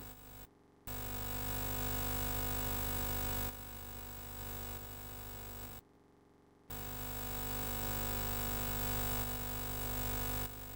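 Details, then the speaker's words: Amiga 1500 right audio output channel recorded while playing Batman: no program sound, only a low buzzing hum and faint pulsing nearby interference with two brief dropouts; dead channel, not just quiet, so a bad capacitor seems unlikely. "There's absolutely nothing coming through except perhaps the pulses of nearby interference."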